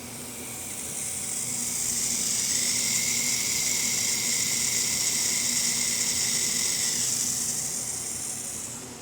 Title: CROC HDI vacuum leaking